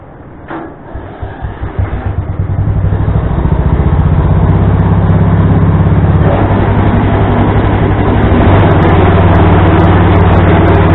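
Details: Small tractor with adapted snowblower attachment, belt tightened with a tensioner pulley taken from an old mower deck: cranks, catches and runs steady at about four beats a second, blower spinning smoothly; normal running.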